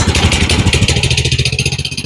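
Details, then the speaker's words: GoPowerSports Lifan 212 single-cylinder minibike/kart engine just rejetted from 0.28 to 0.36 jets (was too lean), completely cold, full choke; quick fairly even pop-pop chugging easing off slightly, expected a little stumbly; cold start on choke. "It's completely cold right now, so I expect it to be a little bit stumbly."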